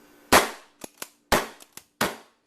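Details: Trilogy Sniper paintball marker with Paintball Gateway low-pressure valve and heaviest springs, not tuned: each sharp shot followed by one or two faint extra pops within half a second, hammer bounce on the valve.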